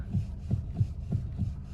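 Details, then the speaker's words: Car idling while the steering wheel is rocked back and forth: dull, low knocks about three times a second from a worn steering rack. "Вот мы сидим за рулём, грубо говоря, начинаем крутить руль вот таким вот образом, да, туда-сюда и стучит рейка."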